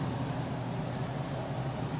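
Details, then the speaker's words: Apartment A/C restarted after replacing a bad capacitor that kept the indoor fan off, thermostat set to cool at 72: refrigerant moving, then the indoor blower gives an even, steady rush of air over a low drone with no surging or rattles. Normal operation. "I hear the refrigerant move and there's the indoor blower motor"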